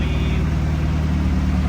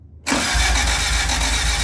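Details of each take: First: Honda Civic EG hatch after an engine swap with new oil pan and gasket, no exhaust, warming up before the thermostat opens: steady, even low rumble with no knocks, misses or ticks. Normal idle. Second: Honda Civic EG hatch after an engine swap, distributor disconnected: starter spins the engine at a steady rhythmic churn for three seconds without firing. Cranking with ignition cut to build oil pressure.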